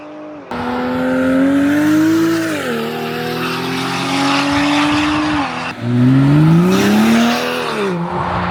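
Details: BMW X5 xDrive45e plug-in hybrid, stage 2 tune, OPF deleted, aftermarket valved cutout exhaust opened, comfort mode, not floored: loud, coarse note booming through repeated revs, droning at low rpm, smoother higher up; exhaust drone with cutout valve open.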